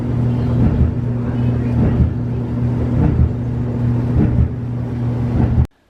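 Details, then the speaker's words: Samsung dryer after welding its cracked thin drum seam: steady tumbling rumble with dull thump about every 1.2 seconds, once per drum turn, from the thickened weld build-up riding over the roller; livable residual thump. "the dryer still has a little bit of a thump but it's also a livable thump and I know that that thump is because there's an extra material actually making it thicker in that area"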